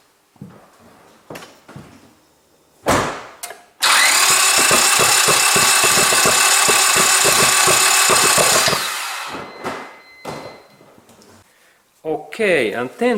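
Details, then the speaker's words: Gasoline car that cranks but won't start, heard after a spark test found plugs, cables and ignition coils OK. Starter churns fast and even for about five seconds with no firing. Cause still unknown. "and then this final result tells to me that my sparking system is okay and there is no any issues, and then why my car don't and not starts, there is still something defect in this my engine"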